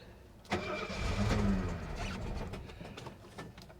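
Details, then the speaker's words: 1970 Mercedes-Benz 250 (W114) at a Copart auction, fuel pump primed before cranking: cranking churns for a few seconds, engine stumbles, tries to catch, then fades; hard starting, long cranking. "Here we go. 3, 2, 1. She's alive! Oh, she tried to start. Come on, baby."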